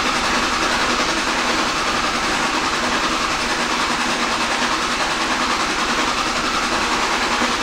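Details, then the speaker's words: 2005 Dodge 5.9 Cummins diesel, hot restart: steady cranking about 3.5 beats a second that never fires; fuel pressure drops to 20 psi. Excessive injector return flow (200–250 ml/min) from one or more injectors; cross tube already retorqued. "We shut it off and restart it. So the actual fuel pressure dropped down to 20 psi."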